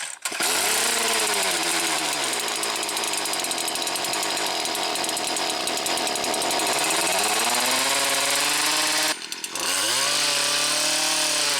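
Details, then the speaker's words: Stihl KM 56 RC two-stroke after spark arrester service for bogging at full revs, not yet fully warmed up: revs high with a slightly uneven buzz, dips briefly and recovers. Much improved but still a little rough. "As I said, still sounds a little bit sick, but it's definitely a big improvement, and certainly makes it usable now."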